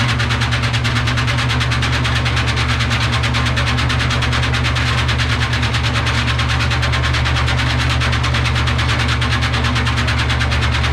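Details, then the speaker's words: Gilson bulk sieve shaker running with aggregate during maintenance check. Steady low rumble with an even, rapid rattle of material, about two beats a second; aggregate moves back and forth rather than collecting in one corner, so shaking is balanced and normal. "So see, one thing that's nice, I just observed, it's not collecting in one corner. It's going back and forth, back and forth. So it's sort of, that's good shaking function."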